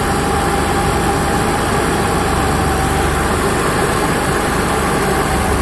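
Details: Onan Cummins HGJAB QG 7000 generator restarted after the fuel pump primed an emptied float bowl. It gives a steady, even drone with no misses, knocks or surging, running smoothly at no load.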